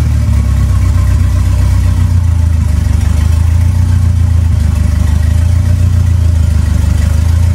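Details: 2.3L turbo four Lima-swapped into Smokey on PIMPX batch-fire engine management, warming up for base timing check; deep, even four-cylinder rumble holding steady idle, no misfires or knocking; normal idle.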